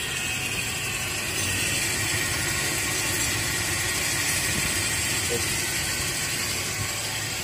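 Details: Toyota Kijang Kapsul idling with a loud, harsh, steady whirring from the front of the engine, caused by a failed bearing in the AC compressor belt tensioner, which must be replaced.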